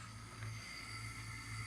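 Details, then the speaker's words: Taco 007 hydronic heating circulator pump just after cartridge replacement, refilled and plugged back in: quiet, even low hum with no rattle or grinding; normal running. "Now we just need to plug it back in. Alright, it's back in and it is running."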